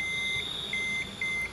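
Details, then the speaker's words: Multimeter set to diode/buzzer mode and tested before probing a dead phone's power-IC area: three clean, high-pitched beeps, each under half a second, in a quiet room; continuity buzzer working normally. "Kita setting di mode, di buzzer mode dioda mode dioda ya. Kita tes."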